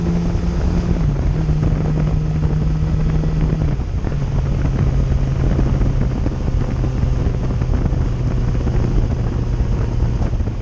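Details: 2008 Yamaha FZ1 motorcycle riding after ignition coil replacement, which cured stutter and hesitation below 4000 RPM: steady, even engine drone under wind noise, pitch easing smoothly with speed, no stutter or missed beats; runs clean.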